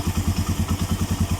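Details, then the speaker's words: Suzuki Mola/GS 125-150 single after first DIY tune-up and valve clearance adjustment (feeler gauge): even steady thump about eight pulses a second, previous ticking gone — normal idle. "Antining, nawala na yung lagitik, ganda ng andar."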